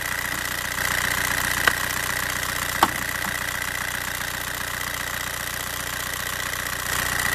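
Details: Old TDI 90/110 hp rotary injection pump diesel: idle at about three pulses a second under a steady whistle, running lean after the quantity adjuster was tightened; pump body scored and O-ring leaking, pump to be stripped again.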